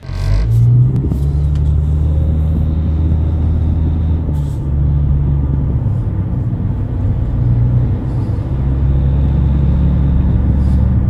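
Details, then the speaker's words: Loud low growl and droning hum at about 40–60 mph from a worn front wheel bearing on a 2009 Nissan Altima 2.5 CVT, driver's side, replaced with a Timken hub assembly along with the CV axle. "you might have to replace the wheel bearing if you're hearing like a real loud growling noise in your car this one was making a really loud noise at about forty to sixty miles an hour"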